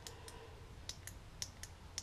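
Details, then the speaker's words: 1999 Dodge Ram 1500 Sport overhead console map light switch; the working unit, not the one with the broken spring: crisp paired press-and-release clicks about every half second, firm and even. Normal switch click. "you can hear that clicking like this and i've tried to modify the interior of a pen that sort of thing anyway long story short it's a simple switch"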